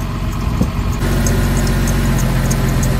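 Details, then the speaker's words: Porsche 911 (997) after over a year sitting: steady idle rumble with a faint, quick-repeating chirp from the dry serpentine belt; a drop of water silences it, and the owner hopes running it warm will cure it. "now I'm quite sure it's the belt because if I squirt a little drop of water in there there you go rather than wd4 which might make it slip it shuts up"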